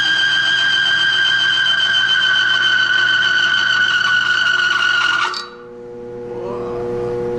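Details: Bearing friction tester, a roller bearing against its race with plain oil, no additive, about 30 pounds of load: steady high squeal for about five seconds, then it stops; the bearing is running short of lubrication.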